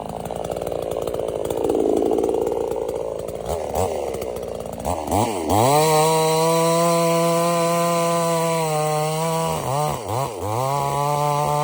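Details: $97 Temu Chinese gas chainsaw cutting wood: strong high-pitched whine that drops and steadies as it bites, recovering cleanly between cuts; healthy, later stops only from running out of fuel.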